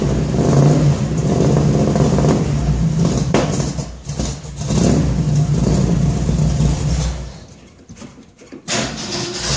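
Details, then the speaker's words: 1966 Ford F100 V8 with new headers and exhaust, first start: deep, even burble with a couple of throttle blips and clean return to idle; exhaust sounds healthy. "well i think that was a success exhaust sounds good real good"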